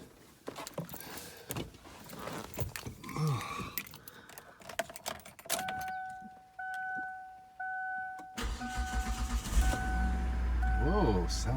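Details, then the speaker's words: 2002 Kia Sedona 3.5 DOHC, first start after new timing belt installation: key chime, short crank, quick catch into smooth even idle with no ticking or slapping; sounds real good after repair. "sounds good. Sounds real good. Okay, now I can put it all back together."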